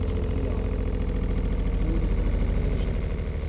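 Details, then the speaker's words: Motorhome pressure water pump after installing a pressure equalization tank: with the water turned on, the pump runs about 5–6 seconds with a steady, even pulsing hum, cycling normally. "now i turn on the water the pump keeps running for about 5 to 6 seconds"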